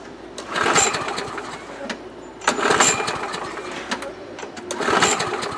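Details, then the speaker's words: 2005 Murray Quantum 6.5 mower engine with new carburetor and primer bulb: fires in short bursts about every two seconds, then sags each time; fuel starvation, suspected plugged holes in primer backing plate; later traced to that plate and fixed. "i think it's the uh that holes plug there's no way it's gonna let fuel you know get from the tank to the ball and then in the car"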